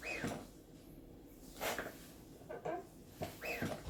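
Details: 3RSYS Formula V gaming chair about six months to a year old: short squeaky creaks as it shifts under weight, noise growing over time; fixed by loosening joint screws and applying lubricating or cooking oil.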